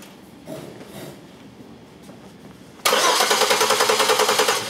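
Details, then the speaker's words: Six-cylinder car cranking with fuel disabled during a relative compression test by starter current: steady cranking with even, evenly spaced compression pulses and no misses; normal uniform cranking compression. "the fact is we see even uniform compression humps on this motor"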